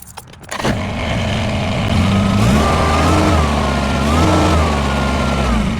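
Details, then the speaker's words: 2021 Kubota BX23S diesel tractor after throttle lever repair and dash reassembly: fires up, then a wavering high scrape rises and falls; one washer in the stack was askew, rubbing the steering column collar. "all right so we got this stack of washers right here and there's a collar on the inside of it and one of those washers was a skew and that collar"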